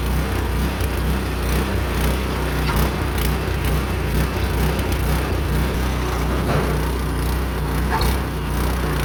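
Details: Meec SN210 snowblower small single-cylinder engine after removing a mounting screw that bolted into the fuel tank, following sputtering and dying: steady even chug with no misses or surging, smooth idle, running normally.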